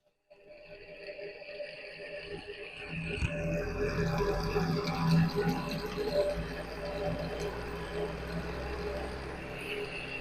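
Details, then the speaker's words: Wall fan with the oscillation mechanism removed: as the fan spins up, a rough, gritty rumble grows under the blade whir and stays uneven. Sounds like the motor bearings, possibly stuck, where bushings were expected. "makes the noise it makes is like the bearings are making noise"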